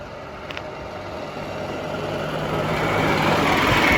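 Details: Yamaha golf cart revived after sitting 6–7 years, on stale fuel, driven forward under load: the engine holds a steady putter that swells as the cart pulls away and gathers speed. It runs cleanly.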